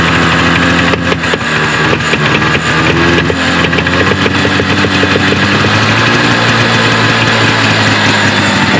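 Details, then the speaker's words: 1974 Arctic Cat Lynx 340 fan-cooled two-stroke snowmobile, sat outside five years, cold snowy day, very old fuel: loud, steady idle with slightly uneven beat, running on its own. Idling after long storage; fuel suspect. "i see it's trying to suck fuel the fuel is real old um seems like it wants to go so i'm going to keep juicing her and tugging on her so she said and see if i can make her go she's idling"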